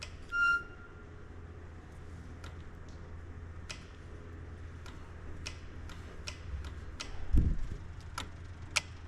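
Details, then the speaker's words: Circa-2000 Gehl CTL60 skid steer, relay jumped with power on the green-and-white wire: sharp dry clicks over faint low hum show the relay is responding, not yet proven working. "so we know that the relay is at least responding we don't know if it works yet"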